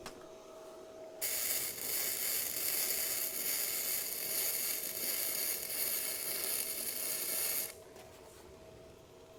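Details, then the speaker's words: Bestarc gasless flux-core MIG welder turned down to 80 amps after 90 amps popped the circuit breaker. Steady, crisp sizzle for about six seconds: a clean arc, still a little hot, and the wire speed is not adjustable to feed more wire. "Wow, that's good. Still seems a little hot for that."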